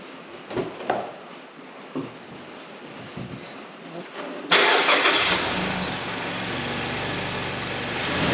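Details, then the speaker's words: 2016 Mazda CX-5 Skyactiv rebuilt from two engines (Mazda 6 bottom end ~120k, CX-5 top end ~170k), after swapping oil control valve and exhaust cam sensor: fires and settles straight into steady even idle, no knocks or ticks. "It runs. It runs amazingly."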